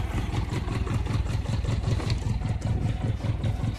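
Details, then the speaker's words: Japanese motorcycle project bike with a seized choke, carbs probably not synced and firing on at least 2 cylinders: the starter turns it over with a low, lumpy, labored chug of about 2.5 beats a second. Exhaust leak suspected. "What's that sound? See, that cranking didn't sound that good, but at least we got a freaking tack."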